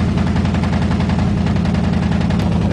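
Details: 1987 Chevrolet truck running without air cleaner, noted misfire; fast even stream of loud pops and rumble from the exhaust; muffler very noisy, cause unknown.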